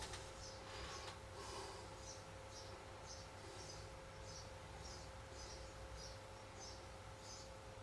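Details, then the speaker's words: Regentone record player with Collaro RC54 deck after the idler wheel was changed, running at 33 rpm: quiet, steady hum with a soft, even swish about every 0.6 seconds and no bumpy idler noise; turntable runs smoothly. "We're not getting that noise now. Oh, we got rid of that bumpy idler sound."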